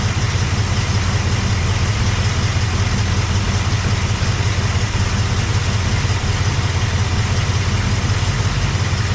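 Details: Cadillac 390 V8, glitter found in engine oil: deep, steady idle burble with even lope, no ticking or knocking; oil pressure about 20–27, oil looks terrible; normal idle.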